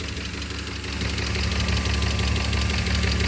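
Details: BMW E34 5 series M50B20 at warm idle; it cuts out and misfires at idle/low revs when warm. Lumpy, uneven rumble that swells and shakes. Owner suspects the folded intake pipe (refitted) or temp sensors. Rough idle, cause unconfirmed.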